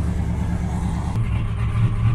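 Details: Twin-turbo 427ci V8 Buick on Holley Dominator EFI, after fixing misadjusted valves and a damaged lifter and pushrod: short paddock startup at fast idle, steady low rumble with no ticking or knock, sounds healthy.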